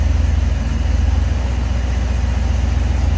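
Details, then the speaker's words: Lowrider carbureted, cold start after pumping four times, running on choke at raised fast idle, quiet turbo exhaust; steady even low pulse, no knocks. Normal cold-start fast idle. "runs on the choke once it warms up idles down just like it's supposed to"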